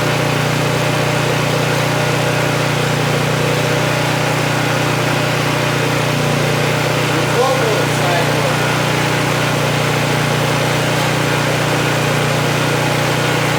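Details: Vintage Honda EG1400Z generator, an auction find that would not run, restarted without choke to meter its output; a steady, even engine drone holds one speed with no hunting or misfire, running normally.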